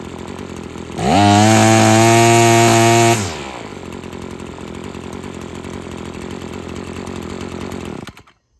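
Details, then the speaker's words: Husqvarna two-stroke trimmer after freeing a sticking trigger and adjusting the carb, guard removed: idles, revs to a strong steady full-throttle scream with the string whistling, then drops cleanly back to idle. "All right, so you could hear how those RPMs are way up there now. You can hear that string whistling now."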